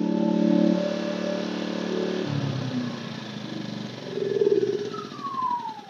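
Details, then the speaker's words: Yamaha 2000-watt inverter generator after a carburetor fix done without removing the carb, restarted to confirm: runs smoothly, speed stepping down then rising and easing as load varies, no misses or surging; normal running. "but damn thing's running let's see if it starts one more time and that wasn't a fluke W baby"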